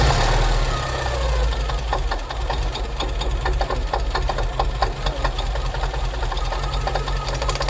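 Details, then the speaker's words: Porsche 944 running after 20 years sitting in a hedge: rough running with irregular sharp metallic knocks over heavy low rumble; something mechanical unhappy, cause unknown. "Something isn't happy. Something's really unhappy."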